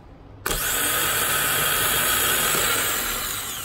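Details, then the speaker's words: Powermaster 9103 small-block Ford starter, two months old, after solenoid replacement, bench test: sharp Bendix engagement clack, then smooth even high whir winding down; starter spins freely and sounds healthy. "Bendix pops out we got juice coming through it's turning I would advise you not to touch that while you're trying to turn it because it will probably rip the skin off your hand and not care about it so yeah I mean it sounds good veneks comes out like it should"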